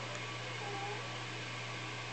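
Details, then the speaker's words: High Octane tube guitar amp idling after its heaters were elevated: steady low mains hum with faint hiss; 120 Hz ripple down about 6 dB and higher harmonics dropped off, hum slightly smoother and quieter but still excessive. "maybe the humming has become slightly more smooth as a result of these higher harmonics dropping off"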